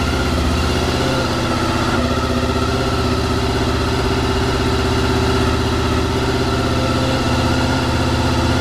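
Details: Honda VFR 800 V4 after replacing suspected faulty ECU and HISS immobiliser system, brief start at night: steady, even idle hum with smooth firing beat, no misses, knocks or surging; normal idle.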